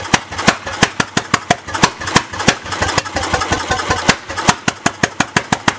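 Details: Bessemer single-cylinder engine, first test start after 50–60 years unused, no muffler, Champion X plug: loud unevenly spaced unmuffled bangs about three a second, running rough and erratic; timing suspected to need tuning.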